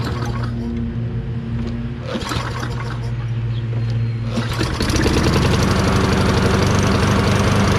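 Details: Toro Recycler 22" self-propelled mower, Tecumseh 6.5HP engine, after carb cleaning with a tiny, possibly clogged jet cleared using a thin wire bristle: catches and settles into a steady full-throttle drone with no surging or misfire, running much better.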